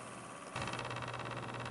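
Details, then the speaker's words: Corsair TX750W PC power supply, old and mounted face-down without ventilation, under test. A low hum with a fast, rough buzzing pulse from the fan comes from a bad fan bearing, too loud to sell before lubrication. "bearing and that fan you hear that that's just bad so I can't sell it like that"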